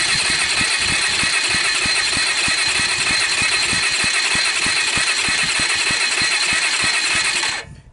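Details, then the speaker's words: Kawasaki Bayou 220 ATV, about 1988, cranking after oiling the cylinder: about three beats a second, weak puffs, no firing; roughly 40 psi against the 70-80 needed, caused by tight valve adjustment. "lucky if I got 40 out of that well this isn't going in the right direction um my experience you need 70 75 on one of these things 80 for it to start"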